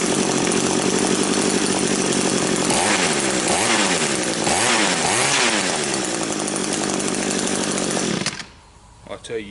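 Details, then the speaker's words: Old Echo two-stroke trimmer after clearing its completely blocked exhaust spark arrester screen, started unchoked: a smooth high-pitched scream held at full throttle, revving freely, then backing off. "All right, let's go ahead and see what she sounds like now. I'm not even going to choke it or nothing. It should idle okay right now. Switch on. Sounds a whole lot better already."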